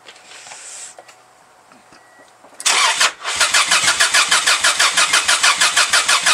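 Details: 1995 Subaru Legacy cranking for its first start since August after work (turbo relocated, engine painted), with smoke coming off the battery. The starter turns the engine at a steady beat of about three turns a second but it never fires; something probably ought to have been hooked up.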